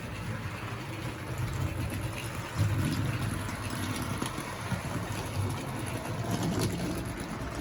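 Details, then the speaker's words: 1961 Hornby Dublo 2024 set 2-8-0 die-cast locomotive running slowly on the main line: soft, even motor whirr under light rail clatter, no grinding or stutter; quiet, smooth normal running. "so let's slow it down a bit so you can just hear how quiet it runs"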